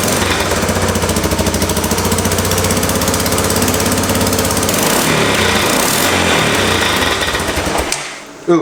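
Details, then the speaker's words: 1988 Honda 4x4 ATV, first start after the carburetor was cleaned and refilled. It starts right up and runs well at idle, but a fast, sharp, rattly popping over the single-cylinder engine shows an exhaust leak. "got exhaust leak that's awesome it already runs amazing"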